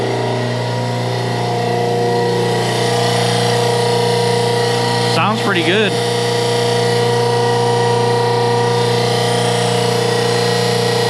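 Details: Dennison Multipress hydraulic press pump motor first run: steady hum with firm low tone and even pitch, no knocking or grinding; motor runs smoothly.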